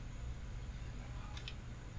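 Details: Old external USB hard drive from a customer, dead after a power surge, after repair: faint steady high whine over room hum with a couple of soft head clicks; the drive spins up and is detected. Normal hard drive spin-up.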